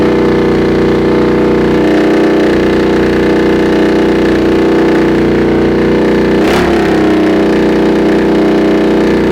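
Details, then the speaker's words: Honda CX500 scrambler with second-hand muffler retrofitted as clamped slip-on: steady twin idle with harsh, blatty exhaust bark and faint puffing hiss; loud exhaust with small exhaust leak, DB killer considered to quieten it. "Still probably a little bit on the loud side."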